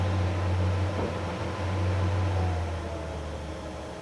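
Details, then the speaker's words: Off-grid cabin DC whole-house fan run at low speed through a newly installed PWM speed controller: low, soft, steady hum with a faint airy rush, turning quietly and evenly. "Well, there you go. Any level of noise you want. Still running. I mean, I doubt you could even hear this from 10 feet away."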